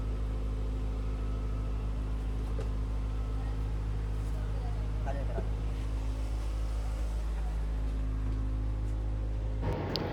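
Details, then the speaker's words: 2023 Tata bus AC engine after clearing the EP fault and cleaning/repairing four fan motors, evaporator and condenser: a steady, even diesel drone with a firm low throb, no knocks or misses; running healthy and cooling well. "ਤੁਸੀਂ ਦੇਖ ਸਕਦੇ AC engine ਆਪਣਾ ਚੱਲ ਰਿਹਾ ਬਹੁਤ ਵਧੀਆ cooling ਹੋ ਰਹੀ ਆ"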